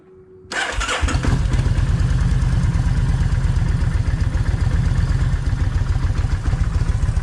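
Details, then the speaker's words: Kawasaki Vulcan 1600 V-twin cranks and catches, then lopes with an uneven, stumbling low thump; left cylinder fires poorly and its plug stays wet. Owner suspects the right-side coil or a plug wire; plug wire showed continuity. "what's going on is on the left side is not firing well it is firing but for some reason that plug is staying wet"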